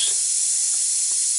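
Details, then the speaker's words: Big truck, dashboard panel removed: constant, sharp, unbroken hiss of compressed air, loudest through the dash air vent, from the line fitting on the air cylinder that operates a vent. "that leak I can hear it and I'd already tried the hose and it was a little bit louder right here through this air vent"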